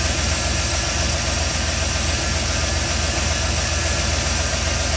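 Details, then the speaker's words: 1987 Ford F-350 with newly installed FiTech fuel injection, first dry start: quick steady ticking over rough V8 idle; loose non-adjustable rockers, owner thinks longer pushrods needed. "so you can hear my uh rockers are a little loose on this thing"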